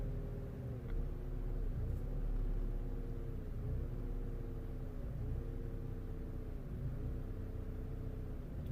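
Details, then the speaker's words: 2011 Vauxhall Corsa D 1.4 petrol, stored code P0223, idling very poorly and cutting out: revs fine when held, but on throttle release the idle sags and struggles back up about every 1.5 s toward stalling. "start to lose the revs oops ooh that sounds bad and he's gonna go okay that's gonna turn it off i don't want to do any damage"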